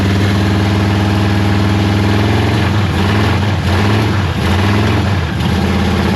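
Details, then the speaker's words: 1973 Dodge Charger 383 big block, revived after sitting, bottle-fed carburetor: loud idle lopes and stumbles unevenly; rough running partly from choke left closed, carburetor also judged junk. "Is the choke open? >> It is now. Okay. >> It wasn't. >> That's part of it."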